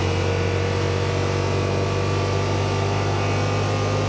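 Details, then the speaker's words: 2021 Yamaha Wolverine RMAX XTR 1000 4-seater, CVT, in cab at about 40 mph (5750 RPM and ~100 dB at 30 mph): loud, steady high-revving drone with no pitch drop; CVT holds engine too high, blamed on light clutch weights. "413 it's obviously a little noisy in here uh I'm not sure how the mic's going to pick this up hopefully it does but uh it's noisy at speed"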